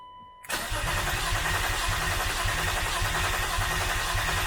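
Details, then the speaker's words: Turbo BMW E36 after blow-thru MAF wiring, base tune on stock ECU and recent fuel pump change: starter chugs steadily about three and a half beats a second with no firing; cranks but won't start, owner suspects fuel issue. "um put the battery in there went to go try to start it and uh didn't"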